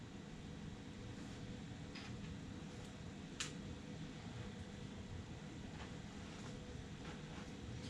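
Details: Artillery Sidewinder 3D printer, new, printing its first test cube: quiet, steady fan whir with a faint motor hum and occasional soft clicks. Normal operation during print.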